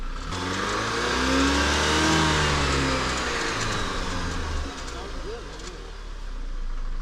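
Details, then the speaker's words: 2016 Jeep Patriot, previously cranked but would not start with code P0688 (ECM/PCM power relay sense circuit open); revs smoothly and falls back to a clean even idle, no knock, misfire or stumble; normal running. "imagine you have your own car how luxury huh sounds brand new sounds good"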